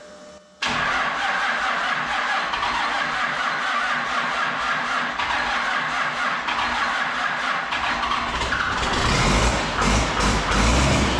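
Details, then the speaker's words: Freshly installed engine with transmission just bolted up, first start before Mint 400 trip: catches almost instantly without long crank, settles into steady even idle with a light rev; sounds fine. "okay yay I mean it sounds all right it's pretty antimima right just fire it up that's pretty good there's no M no long crank"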